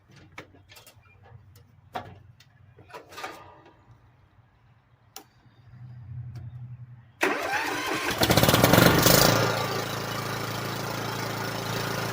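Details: Kohler Courage single-cylinder 15–22 HP engine after a tune-up with new air filter, prefilter, oil, oil filter, fuel filter and spark plug and a cleaned carburetor; after a few handling knocks it catches, surges briefly and settles into an even, steady idle; runs normally.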